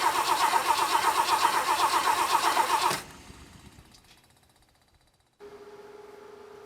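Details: 1966 Lincoln Continental, not run for over a decade, fuel pump found not working: starter cranks evenly at about four beats a second for three seconds without catching, then a faint hum follows; hard start.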